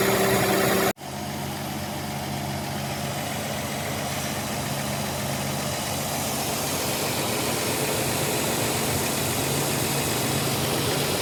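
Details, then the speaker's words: Austin K9 vintage truck petrol engine under restoration: rough idle with uneven thumps and wandering beat, misfiring, gauge at -5; it later stalled, owner unsure whether from running out of fuel or the misfire. "I don't know if that's because I've run out of fuel or because of the misfire, because every time you could hear it thumping and misfiring, it was going all over the place."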